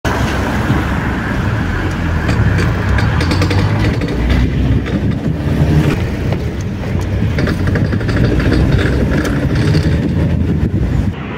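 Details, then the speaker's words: Renault Kangoo 1.9 diesel turning a corner and accelerating: low engine and road rumble with irregular metallic cracking clicks. A torn boot let in moisture and dirt and wore out the CV joint. Replacing the right front half-shaft fixed it. "como se pudo apreciar en el video al doblar en una esquina y acelerar hace el ruido típico de la junta homocinética en mal estado"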